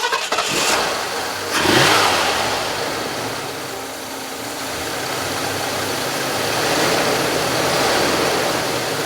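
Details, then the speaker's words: 1978 Lincoln Continental Mark V Diamond Jubilee, first start after a spark plug change with the plugs left at their existing gap. It cranks briefly, catches cleanly and settles into a smooth, even run with no misses or knocks; a healthy start. "You know, this sounds good to me, but I'm used to 4 cylinders. I think we're good."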